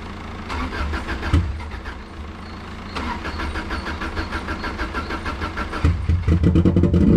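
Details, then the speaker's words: Subaru Impreza that sat a while, fuel gauge showing very low: lumpy uneven chugging with stumbles and dips, nearly stalling; very bad misfire, cause not yet known, owner suspects low fuel. "he's got a very bad misfire he's got a very bad news fire yeah it sounds like he's got a very bad misfire"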